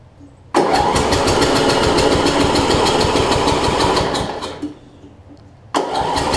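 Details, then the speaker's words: Murray rear-engine rider, roughly 30-year-old engine: cranks and catches, runs rough for a few seconds, fades and dies, then fires again; hard starting, owner wonders about low compression. "I'm just going to crank on a little bit see if I get the thing to run so that I'm not made a liar out of out of this thing it's really hard to start you can see"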